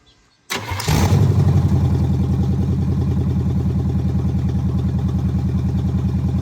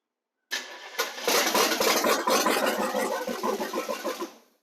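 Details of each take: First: El Camino V8 after correcting the firing order by swapping plug wires and setting the timing: cranks briefly, catches quickly and settles into a steady, deep idle with an even beat of about three per second. Normal idle. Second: El Camino running choppy and uneven with stumbling beats before dying away, after first getting it running. Timing seemed off; the firing order was found wrong and the plug wires were later switched.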